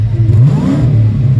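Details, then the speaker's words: Supercharged V8 on E85 just after a new throttle body install, throttle warning gone: catches and revs cleanly, deep steady rumble rising with throttle and settling back, no hunting or stalling, whereas it wouldn't idle before; normal revving. "And it's idling. It wouldn't idle before. It wouldn't do nothing."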